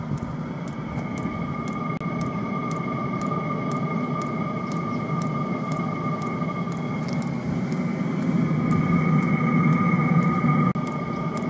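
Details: Chinese 5 kW diesel heater on a spare burner module, replacement marked fuel pump (original failed), at 2 Hz, mic about a meter away: sharp light ticks about three per second, evenly spaced over a steady fan hum and whistle; normal fuel pump ticking.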